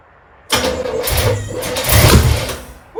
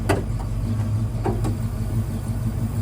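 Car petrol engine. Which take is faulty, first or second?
first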